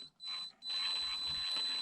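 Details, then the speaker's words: ISDT ESC70 brushed RC speed controller in Rock Crawler mode, which automatically sets a 4 kHz PWM frequency: a thin, steady, high-pitched whine from the noisy ESC and motor throughout; 16 kHz is preferred. "you see now i chose rock crawler but then automatically the pwm frequency is set to 4 kilohertz and that's of course awful i hope you can hear the esc super noisy so check it out"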